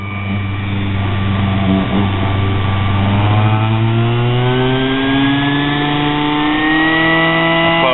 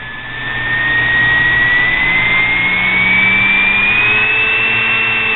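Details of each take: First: Homemade mini grinder built from a sewing machine motor with a drill arbor: a smooth motor whine climbs steadily in pitch as it spins up, with no wobble or thumping; the arbor is running balanced. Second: Homemade mini grinder built from a sewing machine motor, shaft with a hand-ground flat and uncured JB weld: high-pitched squeal climbs as it winds to top speed, squealing even after oiling and wobbling somewhat.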